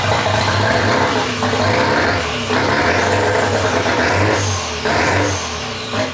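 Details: Mazda FD RX-7 rotary, rebuilt after losing compression, first run after engine install with no exhaust fitted: raw, loud rasp rising and falling with throttle blips, picking up cleanly each time; healthy running.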